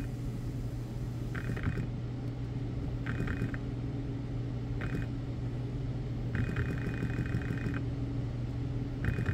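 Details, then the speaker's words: BMW E60 electric water pump bench-tested dry on 12 V (pins 1 and 3 positive, 4 ground): steady low motor hum with scratchy chirps, struggling to ramp up to speed like a car hard to start; pump is failing. "so not sound in the greatest definitely an issue with the pump yeah it's dry but it's shot anyway"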